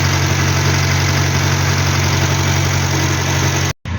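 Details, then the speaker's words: Hillman Superminx after fitting a new Powerspark electronic ignition module and Lucas coil: smooth, even low idle with a steady beat and no misses or stumbles; timing seems okay, normal idle. "yep so the timing seems to be okay um at idle doesn't have any problems starting"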